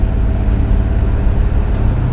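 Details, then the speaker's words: 1957 Chevy Bel Air after rebuild with new intake and custom power steering, idle speed possibly low; steady even engine rumble under way with no flare, slip or clunk between gears: transmission shifts cleanly, normal shifting. "shifts great that is perfect guys"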